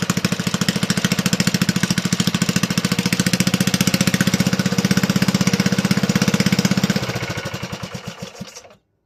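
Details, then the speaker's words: Toro 18005 mower, Tecumseh engine, governor not connected, spring holding throttle shut, throttle tab tweaked: rapid even single-cylinder putter at steady speed, then slowing and dying at shutdown; runs cleanly, not smoking. "I'm pretty happy. That runs better than I thought it would. It's not even smoking."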